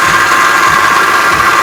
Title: 04 CTS nasty whining noise